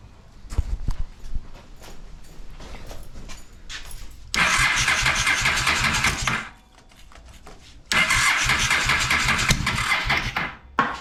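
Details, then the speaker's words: Honda Shadow motorcycle (possibly 650) that sat almost a decade, cold start attempts on choke after float valve adjustment: two long laboured, uneven cranking bursts that never catch and fade between tries; slow cranking, battery running down. "battery power uh there goes the battery time to charge it"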